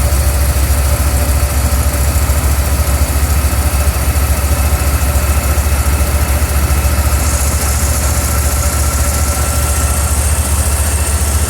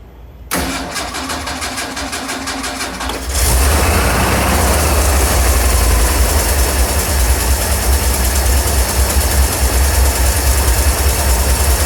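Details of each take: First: '81 Ford 300 smooth, then misfire Second: 1981 Ford 300 engine, before a misfire sets in: the starter cranks briefly, the engine catches, then settles into an even, steady idle with no skips or knocks; runs smooth.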